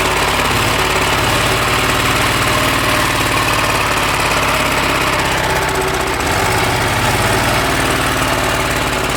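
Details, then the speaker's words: TF120 single-cylinder diesel with low power and heavy smoke, revved: thumping beat with rough rattling timing-gear clatter; mechanic judges the gears, not just the bearings, are worn, before repair. "แต่จากที่ฟังเสียงแล้วแค่ลูกปืนคงจะเอาไม่อยู่นะครับดูจากท่าทางครับผมว่าเฟืองน่าจะมีปัญหาแน่นอนนะครับดังระดับนี้นะครับ"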